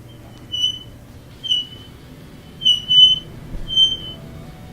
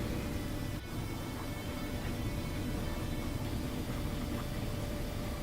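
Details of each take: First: Frigidaire dryer running: high, shrill metal-on-metal squeal pulsing about once a second as the drum turns, louder toward the back; suspected worn rear drum bearing, to be replaced. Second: Frigidaire dryer after replacing the squealing rear drum bearing: steady, even tumble and motor hum with no squeal or metal-on-metal scrape; back to normal.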